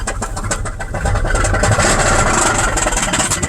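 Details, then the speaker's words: 2001 Pontiac Grand Prix GTP supercharged engine, sat a year, supercharger belt off, smoke from oil cap: lumpy, uneven idle with irregular thumps and hollow misfiring beat; owner suspects a bad piston, engine needing replacement. "it won't even idle if you put the supercharger belt on that's how screwed up this is yeah it's the smoke coming out of the oil cap there's a bad piston in there man it needs a new engine"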